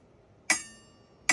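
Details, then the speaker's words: Nanrobot LS7+ 72V 2025 electric scooter rear brake rotor, measured 1.75 mm thick (front 1.95 mm), tapped: two sharp taps leaving a bright lingering metallic ring; owner considers it too thin, wanting at least 2.25 mm for 4-piston brakes. "My rear rotor was 1.75 millimeters thick. What 1 3/4 sounds like."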